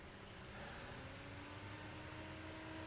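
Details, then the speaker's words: Replacement cooling fan for Carlsbro Powerline 300 amplifier bench-tested on power supply at 12 V before fitting: quiet even whoosh, steady hum; nice breeze, healthy quiet fan. "That's a nice breeze and a really quiet fan."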